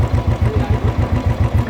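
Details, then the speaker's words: Royal Enfield 350 Electra after tapping-noise repair, filter and several engine parts replaced: single cylinder thumping at an even beat, about five pulses a second, no tapping on top; smooth, healthy idle. "गाड़ी कितनी स्मूथ हो गई है। पहले इसमें किस तरह का साउंड आ रहा था और अभी देखिए कैसा साउंड आ रहा है, एकदम प्रॉपर क्लियर हो गया है।"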